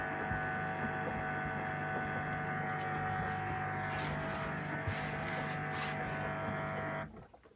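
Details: Two-month-old LG 11kg Steam Direct Drive F1495KDS washing machine during wash cycle: steady electrical buzz with fixed low hum and higher tone, varying in intensity, then cutting off; recirculation pump suspected.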